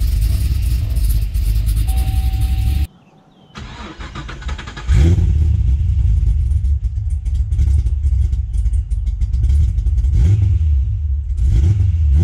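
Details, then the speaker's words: Gen 1 Cadillac CTS-V V8, started cold after sitting about two years; settles into an uneven, lumpy low rumble that never smooths out, a rough cold idle. "and this thing is not happy when it's cold then not running for basically two years other than getting it off the trailer"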